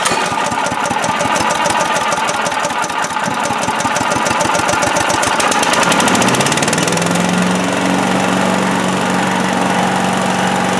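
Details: Predator (Harbor Freight) chipper/shredder with 212cc Honda-clone engine that wouldn't start, found low on oil, started on choke with throttle near high; quick popping then an even, steady high-throttle drone: normal running.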